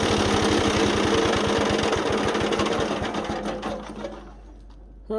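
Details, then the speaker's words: Wood chipper small engine after replacing a belt that let go: regular even firing thump, drive turning steadily before winding down; running normally. "right so you can see it's working again uh now that we got the belt on there"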